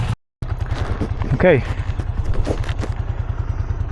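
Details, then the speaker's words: Vintage Honda GL500/CX500 V-twin, just rebuilt and idling before its test ride: a lumpy, uneven beat with occasional stumbles. It stutters and is hard to start, cause not evident; owner hopes it will run out. "Now, the bike still doesn't run perfect. It kind of stutters and it's hard to start, but maybe we'll run that out."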